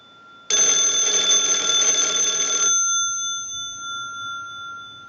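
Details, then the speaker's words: Wooden wall 317A telephone during checkout: an analyzer sends an incoming-call ring cycle, and the bells clatter brightly and evenly for about two seconds, then fade cleanly. "now what we want to do is use the analyzer and send a ring cycle like you are getting a call so we'll start that we'll let that go a few times"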